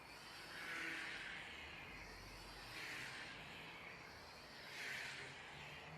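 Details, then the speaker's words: Air Hogs toy plane, likely a Wind Flyer, on tethered round-the-pole flight, powered by a large 2.7 V supercapacitor charged from a lithium-ion battery, after a loose motor joint was re-soldered: smooth high buzz swelling and fading as it circles, no rattle; motor healthy. "I'm pleased to say we fixed it so round the pole or tethered flight the Air Hogs something-or-other"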